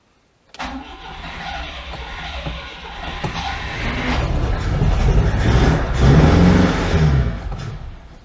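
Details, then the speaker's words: 1992 Oltcit petrol engine, fresh petrol dribbled into carburettor float bowls, jump pack, car slightly tail-down: cranks, catches with uneven rhythm then sags and dies; owner suspects fuel not being picked up. "yeah it's just not um liking the fuel i don't think is it oh almost went"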